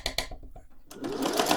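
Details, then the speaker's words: Thrift-store Singer 401A sewing machine at stitch length 0: sharp regular tick about eight per second, knocking inside; owner suspects it just needs lubrication. "knocking inside. I think we might just need to be lubricated."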